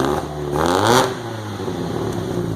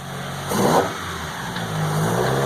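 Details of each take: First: Throttle blip brings ragged spitting and popping through four Yamaha R1 motorcycle carbs fitted to a MK2 VW GTI replacing fuel injection, first start, settling to an uneven stumbling idle; owner suspects the engine is still cold; carburetor spitting. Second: MK2 VW GTI converted from faulty fuel injection to four Yamaha R1 motorcycle carbs, first drive after the swap: pulls up cleanly through a rev, then settles to a steady, even note with no misses; runs healthy.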